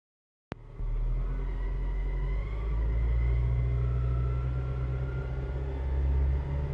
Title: 2007 Civic Si transmission/clutch squeal/whining noise part II